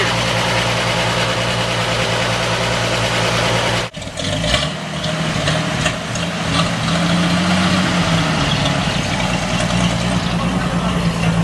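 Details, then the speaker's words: 1946 Chevy 2-ton cab-over, 235 inline six, 4-speed, first start in years after head rebuild fixing two stuck exhaust valves, glass-pack exhaust: steady deep burbling idle, slightly high but smooth; normal high idle. "but anyhow we got the old tur 23 235 running idle's good kind of a high idle see get a shot of the exhaust note here it's got that beautiful blown out glass pack out"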